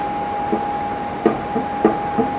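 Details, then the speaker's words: Nissan RB30 engine rebuild for a GQ Patrol: bare cylinder head set on the block without bolts shows light under it, giving dull, uneven thunks every third to half second as it rocks; neither the head nor the block deck is flat. "That's the head rocking. Hear the dunk dunk? There is nothing flat or true about this cylinder head or engine block, for the record."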